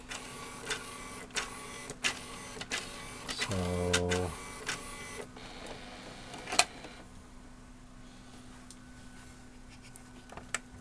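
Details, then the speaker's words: RCA RS2654 shelf system CD changer, replacement KSS-213C pickup fitted in place of original KSS-213CL, disc detection repaired: quick repeated ticks, clicks and short motor whir as it seeks, then quiet; pickup cannot read TOC, maybe defective or incompatible. "and the other CD pickup in there which is not the same number it basically does the same thing it tries to read"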